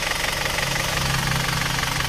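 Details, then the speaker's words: Isuzu Panther automatic diesel, after a ring and valve-seal rebuild, warm idle at working temperature partway through a 6 km road test: steady, even clatter with a low hum, no misses or surges, and no visible exhaust smoke. Healthy. "ini kita lihat asap distriknya tampilan aman sehat walafiat nggak ada masalah"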